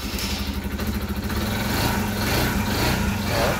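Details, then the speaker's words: SYM Voyager GTS 125 scooter after repair (shorted charge control unit CCU and dead battery replaced, engine previously wouldn't shut off with key): small single settles into a steady, even idle with no misfires; running normally. "nó hoạt động bình thường."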